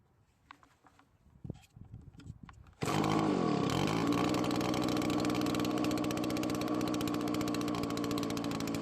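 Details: Two-stroke leaf blower that previously died after a minute of running, treated with Marvel Mystery oil: pull-start, then a buzzy, wavering run that dips and hunts as the mixture screws are turned; rough running from low compression.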